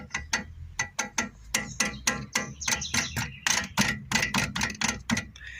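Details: VW Saveiro GT3 front end gives sharp metallic clacks, about three or four a second, while moving; worn, loose brake pads nearly at their end and a grooved, worn disc.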